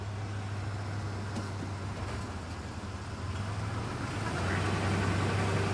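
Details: 1994 Ford Ranger 3.0 automatic, fluid found low and topped off with Dex/Merc, metallic residue on the dipstick rag: the steady idle drone turns into a wavering hum only when shifted into gear; the noise comes from the automatic transmission.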